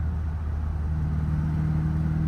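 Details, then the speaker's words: Warmed-up Triumph TR4A driving at full throttle in 4th: low boomy note won't climb, faltering unevenly, stuttering just above 3,000 rpm versus 4,000 rpm in 1st and 2nd; power loss under load. "now I'm full throttle and she's just stuttering it's weird because in first and second it went up to 4,000 RPM but in Fort look I'm full troto just barely goes above 3,000 RPM"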